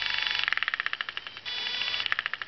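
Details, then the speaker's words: Sukhoi SU-26m model plane: the spinning prop gives a high buzzing hum pulsing roughly ten times a second as speed varies. Slow-motion side view shows the propeller is lopsided; an out-of-balance prop is suspected as the cause. "that noise right there. That's the problem. If I just slow it down and take it and look it on the side angle. Actually lopsided."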